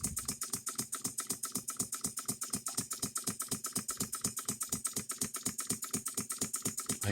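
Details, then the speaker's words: Home-built model engine from England, first test run with exhaust routed away, sitting on bench: sharp steady knock about twice a second with a metallic tick each stroke; engine knocks, cause unknown. "She's a knocker, that's for sure. But I'll tell you what, everything's running through."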